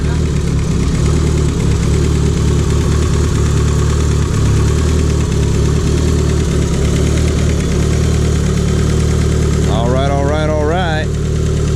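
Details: Built Talon after fixing a huge exhaust leak that caused power loss and a non-cycling front O2 sensor: steady, even idle with a firm low rumble, no puffing or ticking from the exhaust; runs clean and settled.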